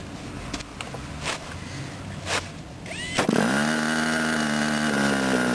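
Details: Model airplane glow engine after starting: handling noise, then it catches and settles into a steady, even, quiet buzzing idle with no misses. Normal idle.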